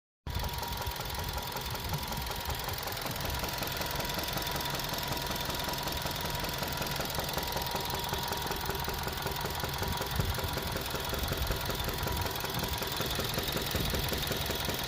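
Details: 2013 Suzuki Swift Sport 1.6 petrol, 100K miles, idling with a steady sharp knock keeping pace with engine rotation; suspected connecting rod bearing knock, not confirmed.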